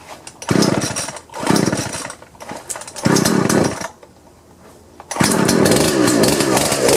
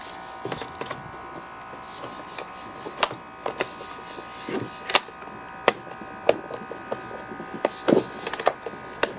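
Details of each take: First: Husqvarna 120 chainsaw after fixing slipping pull rope by flipping the starter recoil spring so its longer end seats on the pulley: fires and revs cleanly in repeated bursts, dropping back to steady idle between pulls; runs normally. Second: Husqvarna 120 chainsaw with a slipping pull rope: irregular dry plastic clicks and scrapes with no engagement. A metal protrusion on the recoil rides over the worn pulley hub tabs, so the starter skips.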